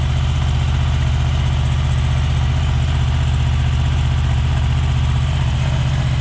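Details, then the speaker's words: 2003 Honda VFR800 VTEC V4 on the standard exhaust, before fitting Micron end cans: steady, low, even idle with smooth pulse, no misses, ticks or rattles; normal idle. "They sound okay. They sound as you'd expect from a from a V4 engine."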